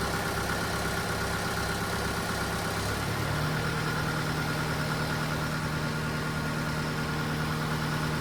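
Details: Case TR310B skid steer diesel at its 100-hour service, started after oil filter change (superseded part) to check for leaks; steady even low-rumble idle settling after a few seconds, no knocks or misses: normal idle.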